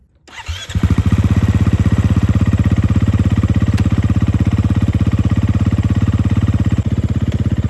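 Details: Large dirt bike that sat for years, first run after mechanic revived it: catches within a second and settles into a crisp even four-stroke beat with no misses or knocking; part and full throttle work, running amazing.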